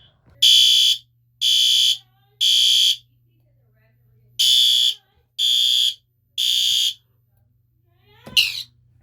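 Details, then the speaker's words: System Sensor PC2W fire alarm horn, triggered from an H Homoco pull station and heard from across the room on a basic test: two groups of three loud, high-pitched half-second blasts, audible but not very loud; horn working normally. "Pretty loud from over here. I mean, it's pretty audible. I wouldn't call it loud, but it is"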